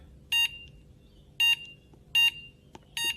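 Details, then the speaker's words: Extech 380193 handheld LCR meter: four short shrill beeps, one per button press, in a quiet room, loud enough to be annoying in a quiet office; normal button beep. "if you're using it at your cubicle or something like that in a quiet office environment the beep is quite loud for the button presses"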